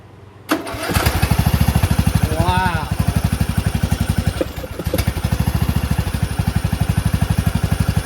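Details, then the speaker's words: Rebuilt Briggs 19.5HP engine in a John Deere LA110 lawn tractor: catches within a second, settles into steady even idle chug with no misses or knocks; normal start and idle. "How about that, huh? Starts on idle."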